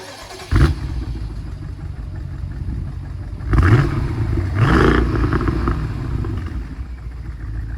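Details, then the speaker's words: 2015 BMW 650i N63TU V8 at idle, downpipes removed and exhaust flaps zip-tied open, so louder. Lumpy, uneven idle between throttle blips, with one cylinder dropping out. Misfire persists after replacing the cylinder 2 injector and trying chemicals; owner suspects passenger-side valves. "Pretty much just a little more volume of what it was before, but at least both exhausts are now letting exhaust out."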